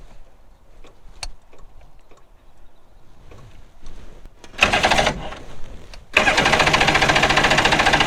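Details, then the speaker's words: Two-stroke premix outboard on jon boat, carbs rebuilt, sat three years, cold day, choked with fuel poured in: two bursts of even cranking about 3.5 per second without firing; owner suspects flooding. "now it's not wanting to start not cool I hope it's not flooded"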